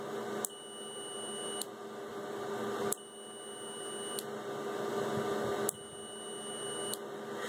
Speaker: I'll go ahead and hook these two alligator clips up to the high amperage outputs of the relay and if all is working well when the relay clicks we should hear beeping from the